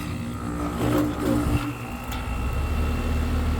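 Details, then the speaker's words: AC system with a suspected bad transformer, replacing an old ICP unit that was previously diagnosed with a bad compressor. At startup the compressor gives a low, labored hum that surges and strains, nearly stalling, then settles into a heavy drone; cause unconfirmed. "that almost didn't sound too good I'm going be honest with yall sounded like the compressor's about to stall"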